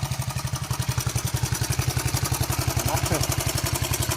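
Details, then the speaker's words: 41-year-old imported Honda XL125S single-cylinder at idle after 8 hours of work, started first kick; even thump about three to four beats a second with none of the earlier popping and missing, fault cured. "That definitely sounds better. There's none of that popping and missing, I don't think."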